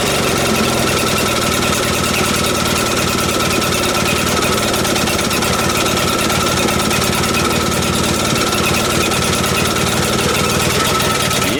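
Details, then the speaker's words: Vintage Atco reel mower small petrol engine running fast and raspy after first start-up, with a sharp puffing edge from a bit of an exhaust leak. "It's got a bit of an exhaust leak."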